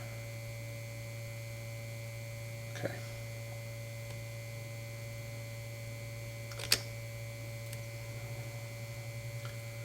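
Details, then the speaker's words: 1952 Guide Autronic-Eye vacuum-tube headlight dimmer, power supply after getting the vibrator working: low, steady buzz at one pitch with no sputter, plus handling clicks. High-voltage secondary reads 1230 V unloaded (1150 V expected under load), normal operation. "so there that's 1 230 volts so yep the higher voltage secondary looks great let's say with uh full operation load on it it should be 1150 volts and we've got 1230 with no load on it I would say we've got ourselves a working power supply it's great"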